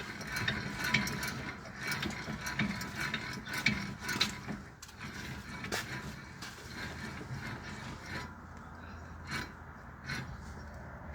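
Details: Worn wheel bearing turned by hand at the hub gives an irregular, dry rasping grind with rough clicks.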